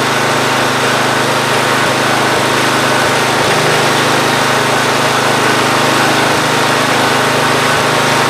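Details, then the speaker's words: Free Ariens GT14 garden tractor single-cylinder engine with a steady, even mid-pitched drone, no knocks or misses, after belts and hose were put on and hydraulic fluid topped off; earlier knocking no longer heard, hydraulics work and deck spins. Normal running. "All the hydraulics seem to work. The deck spins."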